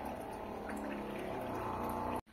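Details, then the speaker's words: Electrolux water filter/purifier pump running normally: steady even hum with a soft watery churn as it draws lots of water to refill after the cold water ran out, then cuts off. "esse barulhinho aí ele faz mesmo e agora ele tá puxando água bastante porque não tem gelada né acabou"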